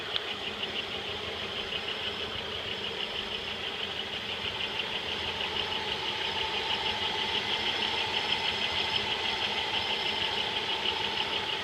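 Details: '95 Pontiac Bonneville, 3.8L 3800 Series II V6, 115,000 miles, idling: crisp even ticking about three per second, unchanged with the serpentine belt off. Compression is 180 psi on all cylinders and vacuum 22 inHg, with loss of power noted. Source unidentified.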